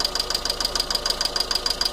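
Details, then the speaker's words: Volkswagen Fox 1.6 petrol at about 50,000 km, idling just after start-up: sharp fast hydraulic lifter ticking, about seven a second, easing once lifters fill but returning; wrong oil viscosity used, car needs 5W40 synthetic. "Tá vendo que barulho feio de tucho? Nesse caso aqui, ó, já constatei que está com óleo errado, tá?"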